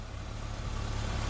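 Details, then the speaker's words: Engine started after replacing the wrong oil, which was blamed for the lifter tick. Smooth, even idle, steady low hum, no top-end ticking at all, much quieter than before. "oh my gosh it's so quiet now that's awesome yeah wow guys there's no ticking anymore it's so much quieter oh my gosh"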